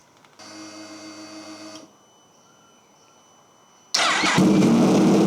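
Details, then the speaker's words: Wrecked 2023 Yamaha YZF-R1 started in a garage; starter whir, pause, then harsh very loud raw bark at idle, some smoke from the rear, owner guesses straight pipe through to headers: very loud exhaust, unconfirmed. "That is super, super loud. I'm guessing this pipe is pretty much just a straight pipe all the way through to the headers."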